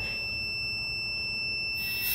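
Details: Boost cut pressure switch for a turbo LS-swapped Ford Ranger, tested on compressor air with a continuity buzzer: a steady, unbroken high-pitched tone shows the switch closed and conducting. It later opens intermittently, well below 15 psi.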